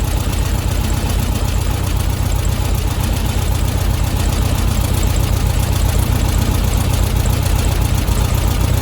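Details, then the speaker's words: Old VW Beetle during tune-up after setting ignition timing, at idle while the carburettor mixture screw is unscrewed: low slow idle thump that drops and starts skipping; lean idle misfire. "it sounds like it's starting to come down and starting to skip a little bit you kind of have to use your ears here a bit"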